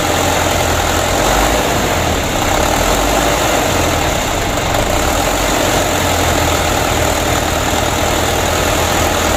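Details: Mitsubishi Canter diesel truck that was hard to start and sometimes wouldn't rev, after injection pump plunger replacement: settles into a steady even idle clatter with no hunting or stalling.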